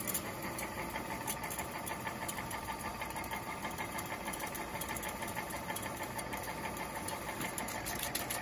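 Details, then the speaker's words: 1969 Rheem Califone 8030T solid-state mono portable reel-to-reel recorder from a school: steady whirr and fine flutter of reels rewinding fast, not stopping automatically until manually disengaged; normal rewind. "And it does not stop automatically, unlike most machines, until you manually disengage it."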